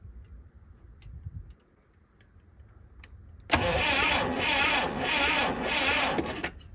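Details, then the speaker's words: Old Clark forklift with points ignition, no spark at the tester despite power to the points and cleaned points, battery running low: starter grinds the engine over at a steady, labouring pace for about three seconds without firing; cranks but no start. "Alright, well, not getting spark still, so let's probe around and see."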